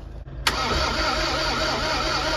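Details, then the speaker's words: Museum Bedford lorry that won't start: the starter turns it over slowly, and even with a direct battery feed it never fires. No fuel comes out of the lift pump. "oh a bit more spicy now people still no fuel though still no fuel coming out that pump"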